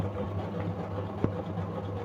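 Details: Samsung single-tub top-loading washing machine unused for nearly a year, wash motor bench-tested with white and red wires connected: low, steady electric hum with even pitch and one small tick; motor spins freely and sounds healthy.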